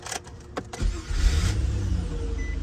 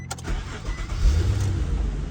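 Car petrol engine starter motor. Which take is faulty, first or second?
second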